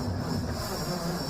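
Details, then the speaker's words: 1959 Ford Vanette with a Y-block engine, hot-wired around sketchy wiring with a faulty fuel pump, gas to be poured into the carburetor: slow, heavy, uneven churning with a low drone as the starter barely turns the engine, slow cranking. "very slow but it's turning over we're going to put a little bit of gas in the carburetor"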